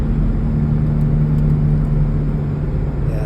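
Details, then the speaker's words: 2004 Cadillac SRX driving, broken spring already replaced: low steady hollow hum under road noise with vibration like unbalanced tire, fading in left turns; owner suspects worn left rear wheel bearing. "but it kind of feels like a tire is out of balance but it makes this holl noise and the hollow noise um in this case just diminished when I put G forces on going through a turn"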